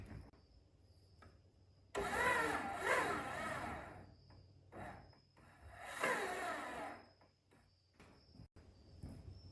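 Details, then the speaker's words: Honda 400EX quad that died on the trail, plug removed: two short bursts of starter whirring straining and stopping without turning the engine; owner thinks it's locked up, seized engine, rod suspected. "I think this thing's locked up, man."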